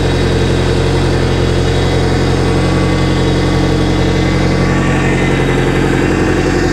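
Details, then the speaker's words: Boat engine warmed up during winterizing, thermostat open past 160, steering worked back and forth: a faint high whine over a steady idle; power steering fluid found low and frothy, with a leak; power steering pump whine. "That pump doesn't sound too healthy."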